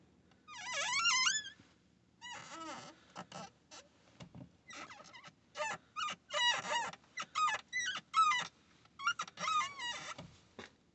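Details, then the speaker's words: Ford Transit Mk8 clutch pedal: sharp high squeaks bending in pitch with each press from the dry pedal pivot joint; greasing the joint stopped the noise. "hello here at o'reillys and we have a ford transit mk8 over here squeaky pedal come down to where the pedals are"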